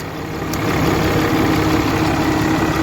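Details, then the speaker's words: 2013 Ram 3500 Cummins diesel after a cylinder head replacement, at high idle during a drive: a raised, steady clatter holding an even rhythm without surging or roughness. No coolant pressure even at high idle and no boiling; small oil leak, oil full. "but she's running all right so other than that little oil leak it's got but the oil is full so not worried about it right now all cleared up no pressure even under high idle"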